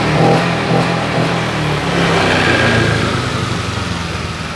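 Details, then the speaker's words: Honda Vario 125 LED scooter with weak fuel pump pressure, after a resistor was added to the EOT sensor as a workaround; revs rise cleanly, hold, and ease off smoothly without bogging. Normal throttle response. "oke mas bro mantap hanya dikasih resistor pada sensor eot Ini sensor eot saya kasih resistor seperti ini Sehingga tarikan lebih responsif beda dari yang tadi"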